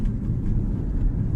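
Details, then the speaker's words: 2012–2020 Ford Focus (Focus 3/Electric), test drive on rough road after replacing the front stabilizer links that had been knocking at the front right: steady low road rumble, no clunks or knocks; suspension quiet. "After such work, the knocking disappeared. Without a sound."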